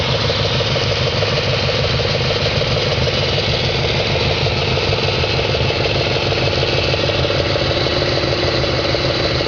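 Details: 2004 Audi S4 4.2L engine at idle, gauge showing over 100 psi at idle: a regular deep knock, about three per second, keeping pace with the engine; engine knock of unknown cause.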